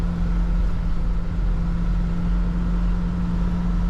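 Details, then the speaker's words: Airstream 350LE motorhome with a 454 American V8, after restoration, accelerating: a deep, steady V8 hum over road rumble, with no vibration, knock or miss. Normal running under acceleration. "Tu vois il roule. Il n'y a pas une vibration. Tu vois, il n'y a pas une vibration. Puis tu vois, Oh là là là là. quand j'accélère, t'as vu ça? Ah, on l'entend."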